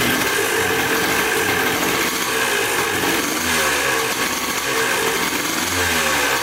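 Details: Dirt bike bought in a four-bike lot, first start after checking the petcock and carburetor and refitting the spark plug: a crisp buzzing two-stroke idle with a couple of small blips, clean and even; normal idle.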